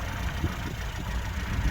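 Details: 1979 Lada Niva petrol engine idling low, smooth and even with no knocks or ticks, "like a sewing machine." This is after a new distributor and new spark plugs; it had sat for years and smokes slightly blue when warmed up, but not at this moment.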